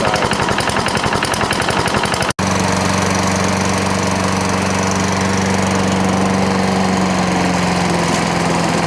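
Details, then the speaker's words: Toro Recycler lawnmower after the loose governor screw was tightened with a lock washer and the idle speed screw turned up. The small single-cylinder settles into a steady, even drone with no surging or hunting; it now runs at a good speed. "it seems to be working good what I did was you know I just did the government the best I could then I took the I can see in there I turned the the idle lump you know that's a good speed"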